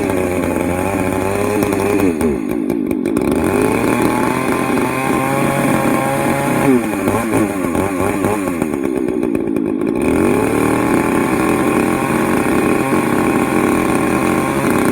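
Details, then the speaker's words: Poulan 4218A homeowner chainsaw, modified, first start after about six weeks idle, at higher mountain elevation; revs hard and screams thin at full throttle, running a bit lean, owner suspects mixture screws backing out. "um so it's a bit lean um one thing i find about these cheaper pole and homeowner saws is it's i don't know if the screws are backing out for the mixture or not it seems like maybe they are"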